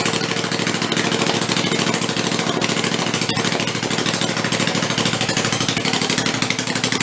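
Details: Rebuilt Kohler Command 20 hp engine, revived after a thrown rod and flood damage, 150 psi compression, refueled and run on the bench: steady fast popping exhaust beat at even speed, no knocks or rattles; normal running.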